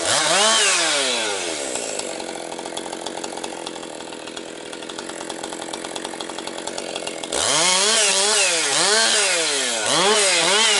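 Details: Rebuilt Husqvarna 262XP two-stroke chainsaw breaking in, compression up, cutting low-grade pine firewood: screams up, pulls down steadily through cuts, climbs back cleanly; running strong, picking up power, normal under load.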